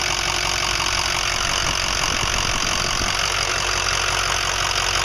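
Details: 2005 Ford 6.0L Powerstroke diesel, started after fitting 8 reman injectors, new fuel pump, filters and oil, about 80-100 miles since and worsening; lumpy uneven clatter pulsing over the rattle at idle; owner suspects harness, FICM or injectors: rough idle with knocking.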